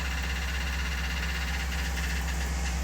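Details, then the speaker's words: 2000–2004 Chevy Silverado 6.0-liter V8 idles with a light, fairly quick ticking riding above the low steady rumble; owner suspects gunk from infrequent oil changes, before trying an engine flush. "eriencing a ticking noise or clicking noise or tapping noise she got a 6.0 engine 6.0 liter engine across the V8"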